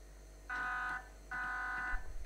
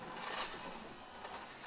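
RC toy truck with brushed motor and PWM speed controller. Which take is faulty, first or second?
first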